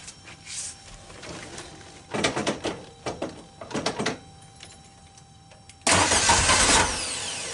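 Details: 1974 Volkswagen Karmann Ghia with dual IDF carbs: after starter connection repair, a few clicks, then the starter engages and spins briskly for about a second and the engine catches and settles into running.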